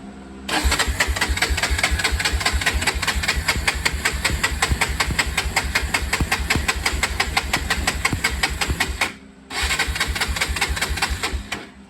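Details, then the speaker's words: 1993 Honda 300EX ATV, choke on, fuel from tank: fast, even cranking about eight seconds, pause, more cranking, never fires; later ran without the tank on fuel in the bowl, so owner suspects the dirty tank. "hmm still won't run i actually got it running uh when i took the gas tank off"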